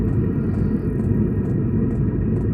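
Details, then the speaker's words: Vevor diesel heater newly installed in a Jayco Journey caravan, exhaust routed through a muffler. Steady low exhaust rumble with faint fuel pump ticks about twice a second; heater running normally. "the diesel heater's working. What are you doing? You can hear it ticking away. You can hear the exhaust coming out."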